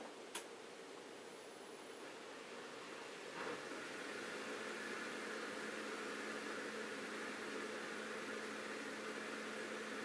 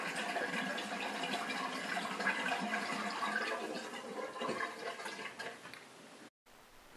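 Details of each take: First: Bosch dishwasher SHE4AP02UC/06, empty sump; steady hum with gurgling airy hiss; drain pump runs continuously on air, showing board and pump work, stopping only with water; owner suspects the wiggly plastic sump lid before the pump. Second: Bosch SHE4AP02UC/06 dishwasher with a stop-start drain pump fault, sump filled with 4–5 litres of water: continuous gurgling rush as the pump drains without a break, tailing off as it empties; repositioning a small part restored normal draining.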